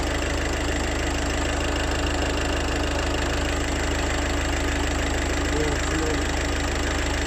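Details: Engine running with a loose, uneven tapping rattle over the hum, which occurs when throttle is given. The rattle is internal and its source is unidentified.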